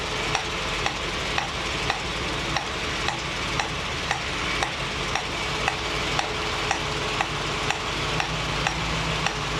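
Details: 1965 Mustang GT Convertible running after installing a Tuff Stuff 7068K 140 A alternator, fan on: a new constant sizzling hiss with a light tick roughly twice a second, possibly near the carburetor; source unclear.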